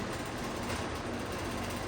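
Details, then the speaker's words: 2007-restored vintage McGraw-Edison Comfort fan fitted with spare Lasko metal blades, on low speed: steady whir with constant buzzy rattle from the loose back panel; blades badly out of balance. "yeah this thing is way out of balance I I wouldn't run it any faster really turn it off"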